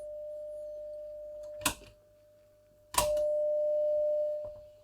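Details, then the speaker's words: Telefunken Opus 8 tube radio, signal-generator tone fed into the gramophone/pickup input: clean, undistorted mid-pitched tone cutting out and returning with tone-switch clicks; audio amplifier stage (EL84 output) passing signal properly. "volume controls working okay so the audio amp is working okay"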